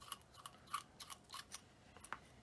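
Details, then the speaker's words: HPI Savage Flux XL rear Draco diff run with no oil, turned slowly by hand after aggressive driving; faint irregular dry clicks and ticks, owner suspects unlubricated gear teeth making contact, diff still works and nothing appears broken. "there is still diff action so it's it seems nothing is broken but as you can hear there are there is a noise so i feel like it's just the the noise of the gears making contact without oil"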